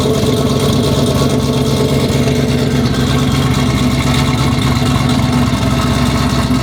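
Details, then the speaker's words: Dodge Charger Pursuit V8 after bad-lifter repair, reassembly and cam install, with idle tuning: a loud, deep exhaust burble at a steady, even idle with no ticking or misses, running cleanly, normal idle. "It gets looks everywhere because you can definitely hear the exhaust. Just generally, I like the car a lot. It feels a little bit more rowdy."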